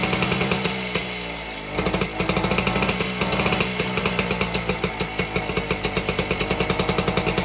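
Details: 1952 BSA D1 Bantam two-stroke engine on a test rig, first start in over two years, carburetor tickled to start; fast, even crackling beat catching and settling into a steady, healthy run; normal running.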